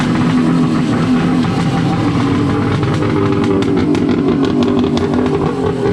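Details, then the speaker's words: First start of a Wave Blaster jet ski after a 701-to-1100 engine swap, with temporary exhaust and no cooling water through it. Harsh, crackly two-stroke blare at steady speed with sharp popping spikes; very loud but it runs. "My God, that thing is loud, but it runs. So I'm pretty happy about that."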